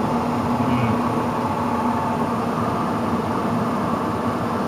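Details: Furnace blower on a new N4H3 heat pump install, moments after a healthy start: a rough hum with a whirring tone as it drops from high toward medium-low on its own. It is a very bad blower.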